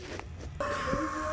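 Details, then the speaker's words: During EVAP smoke test with vent commanded on: steady airy hiss with faint whistle and visible smoke from the capless fuel filler; EVAP leak at the capless filler. "know if you guys can hear them but if you listen you'll hear the leak out of this capitalist system ten you can actually see the smoke coming out all right so that is one problem guys"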